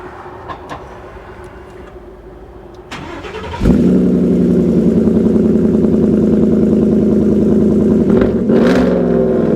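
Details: 1949 Ford F-1 restomod with Gen 2 Coyote 5.0 V8 and 6L80 6-speed automatic, newly finished: cranks and catches, then settles into a smooth, even, deep-toned idle with no knocks or misses; sounds healthy.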